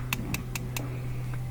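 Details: Propane gas barbecue grill with valve fully open and gas whistling in: four crisp igniter clicks about five per second over a faint hiss, then a soft hum; igniter sparking properly, burner lights with a blue flame.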